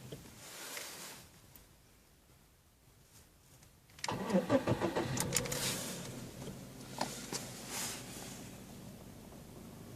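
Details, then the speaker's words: Lada Priora 126 engine, warmed up, 50,000 km, 20,000 km after piston-knock repair: quiet at first, then catches around four seconds and settles into an even idle with no knock; runs smoothly. "Ну вот, в принципе, небо и земля. По сравнению с тем, что было, работает замечательно."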